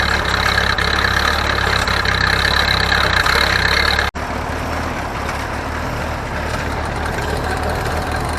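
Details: Ferguson TO-30 tractor, bought from a scrap yard, running a hay baler; engine note dips about three times a second as the plunger packs hay, normal loading and not a fault.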